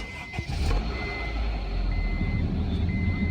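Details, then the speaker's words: 2000 Honda CR-V after replacing power steering, A/C and alternator belts: engine starts and settles to smooth idle with dash chime beeping, no belt squeal. "Hey, listen to that, no belt squeal. Wonderful thing."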